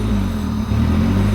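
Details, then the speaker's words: B20-swapped EK Honda Civic, owner suspecting air in the cooling system and about to try filling coolant: a steady low rumble that sags briefly and picks back up; fluctuating idle. "Right now it's a very fluctuating idle, so I'm gonna try filling with coolant and seeing what happens."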